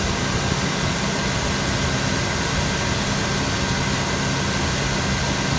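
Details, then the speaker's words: 2000 GMC Yukon 5.7L Vortec V8, 163,011 miles, tested: steady even idle under some hiss, no misses, knocks or ticks, no smoke; runs excellent, normal idle. "163,000 miles. As you can hear, it runs excellent. Tested."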